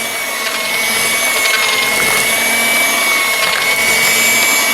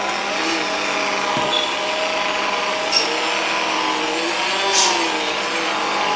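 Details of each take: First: Ambiano cordless hand mixer on speed three with larger beaters, mixing thick batter on one battery bar: steady high-pitched motor whine holding speed with a light beater swish, near corded-mixer strength; normal running under load. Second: Aldi Ambiano cordless hand mixer with stock motor (no cooling fan, motor getting hot), on speed two in thick dough: whirring pitch repeatedly sags and recovers; weak motor bogging down under load.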